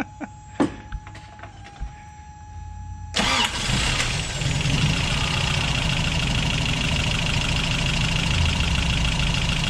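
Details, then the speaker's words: 1988 Toyota 22RE (fuel-injected), warm, after head replacement, timing and valve lash checked: cranks, catches fast and settles into a smooth, steady idle with no misfire. Timing now reset to 5° BTDC; normal start and idle. "much better that's much smoother listen to that kitten purr"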